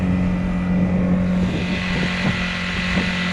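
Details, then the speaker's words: Honda GX50 50cc powerhead outboard on a Nucanoe Pursuit kayak, part throttle at about 4.1 cruise: steady even drone with a constant low hum, no misses or knocks over water noise; not a screaming banshee, healthy. "And I'm definitely not making noise levels up. That's it, man. All you guys that say it's a screaming banshee because it's a 2-stroke, no, it's not, trust me."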